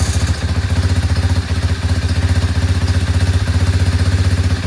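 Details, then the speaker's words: Chinese 125cc ATV quad with intermittent spark cranked after battery charge: steady low chugging turnover, about three beats a second, never catches. Fired right up earlier, now won't start; lost spark, owner suspects CDI, ignition kill wire or switch. "this morning I came out here just to fire it up and it fired right up now it doesn't fire up anymore"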